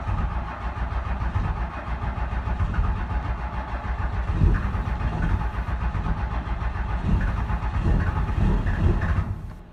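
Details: Cummins 12-valve diesel, 360k, cold start at about 20-30°F in Michigan: chugs and labours unevenly with heavy low rumble, struggling to settle; hard cold start, intake heater relays suspected since they no longer click.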